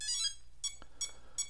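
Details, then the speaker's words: Electric RC airplane with SafeStart plug-in, three-cell LiPo connected: three short bright musical chirps as the ESC arms normally; motor stays disabled until transmitter is on. "can hear the esc chirping and getting ready"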